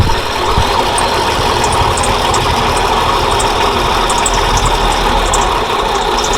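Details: 1940s Dodge army truck after sitting about 30 years, running after a bad ignition coil was swapped and the float bowl topped up: smooth, steady idle with even rumble, oil pressure about 20-30 psi; normal idle.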